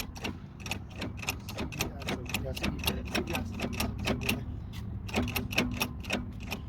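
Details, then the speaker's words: 2004 Toyota Sienna drive shaft turned by hand: steady dry clacking with play; dry, worn CV joint with grease gone, causing vibration and noise above 60 km/h and on acceleration; needs replacement. "you see that noise, and it's a lot of playing, a lot of vibration, makes a lot of noise too. And this one has to be replaced. All the grease is gone and it's very dry."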